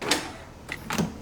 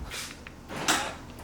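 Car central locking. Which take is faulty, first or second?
second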